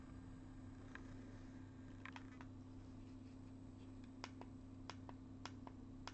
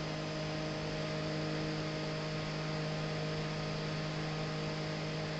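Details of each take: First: G5 CPU fan converted to a Zalman motor, running at 2,000 rpm for comparison with the original: a soft, steady low hum with scattered light clicks, much quieter than the original mechanism. Normal running. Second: Original unmodified G5 CPU fan running at 3,000 rpm: a constant droning hum with several steady tones and a hiss over it. Loud fan noise.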